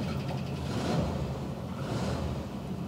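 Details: 1973 Rover P6 with a new 4.6 litre Range Rover V8, cold start on choke: low, even V8 burble at a slightly raised, steady idle with no misses or knocks; healthy cold running, now starting easily and reliably.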